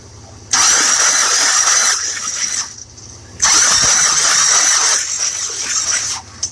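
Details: 1966 Buick Riviera with 425 Nailhead V8, spark plugs removed after a 12-hour ATF soak, cranked to check for binding: two fast, even starter spin bursts of about 1.5 s each with no firing; it cranks freely but will not start.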